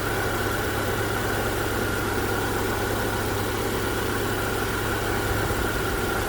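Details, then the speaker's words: 2010-2014 Subaru Outback after alternator replacement, jump-started: steady even idle hum, smooth low drone, no knocks, ticks or whine; alternator charging at 14.2 V, normal idle. "Alright, so it's charging, it's running now."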